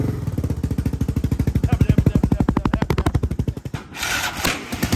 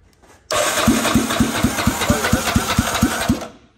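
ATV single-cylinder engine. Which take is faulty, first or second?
first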